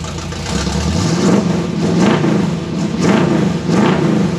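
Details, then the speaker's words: 1957 Chevy convertible hotrod with a 400 V8 running poorly before a tune-up: uneven, lumpy idle with surging revs that won't settle, picking up under rpm. Misfire; owner suspects bad, mismatched spark plug wires that shocked him. "It's got a mist there, and it seems to pick up under RPM and stuff, so it's got a couple of bad spark plug wires."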